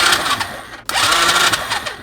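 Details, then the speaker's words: Used Chinese 125cc engine with old kerosene-smelling fuel, cranked with spark plug removed; quick light whirring starter bursts with no compression drag: free cranking with spark plug removed. "Well, good to know that there was compression, because it spins quite freely now."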